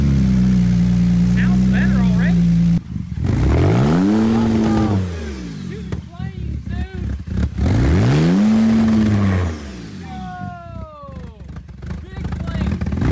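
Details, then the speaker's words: Rebuilt wrecked Lamborghini Urus V8, revved: repeated rev blips falling back unevenly with crackles and pops on overrun; running a little rich, needs a tune. "it's running rich. It's running a little rich. I can hear it. It's not like perfect running, so definitely gonna need a little tune."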